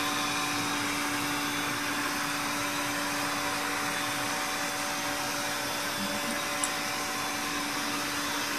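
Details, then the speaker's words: Sanyo POWERbot R9000 robot vacuum after over three years of use; steady motor whir with constant low hum and slight flutter, no dragging or jamming; normal running. "You can almost tell from the sound that it's running okay. A little flutter in there, but you start getting a fluttering noise and you hear it kind of dragging, you know, getting jammed up."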